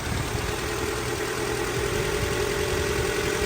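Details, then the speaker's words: 1990 Honda Civic, 360,000-mile body, ZC DOHC engine swap, after fixing an idle leak, intake not yet fitted, warm: a low, even idle with a soft steady pulse and no hiss or hunting; the starter is poor. Normal idle. "Idle's pretty good."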